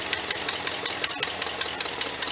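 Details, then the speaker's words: 390 V8 after sealing the carburetor vacuum leak, warming up, oil pressure about 52–55 psi, temperature 180: fast even ticking over a steady idle, no misses; some blow-by still seen. Normal idle. "well feller she's idling pretty good that's really all we're shooting for"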